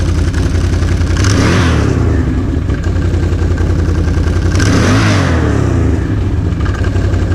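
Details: 2007 Can-Am Renegade 800 after new drive belt and tan clutch springs installed: deep, steady V-twin rumble with two clean revs rising and falling smoothly, no slipping or clatter; healthy start and rev.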